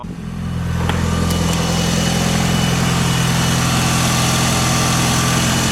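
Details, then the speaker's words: 1996 Mitsubishi Evo 4 started from a 12 V power bank jump starter after its battery was drained dead (dome light and radio left on): catches and settles into a steady, even idle, smooth low rumble, no knocks or misses. "so you guys could see the car was completely dead would you look at that a little power bank jump my old JDM Evo"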